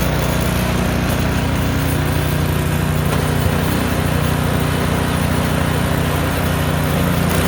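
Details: Craftsman snowblower, roughly 3–4 years old, running while driven forward and back through speeds 1–6 and auger on and off: loud, even single-cylinder drone holding steady with no misses or knocks; healthy engine.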